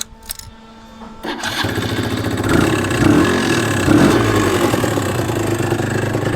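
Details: Suzuki RG125 two-stroke with fresh top end, lacking power and not revving through properly: idles after a ragged start with a loose uneven rattle, bottom end noisier than it should be; oil pump setting found misaligned.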